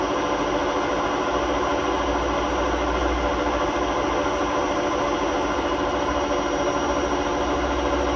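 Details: Hotpoint WMA32 washing machine on a spin at 800 rpm in its last run before new bearings; loud steady roar with gritty rumble; drum rubbing the bearing seal, bearings practically gone; worn drum bearing rumble.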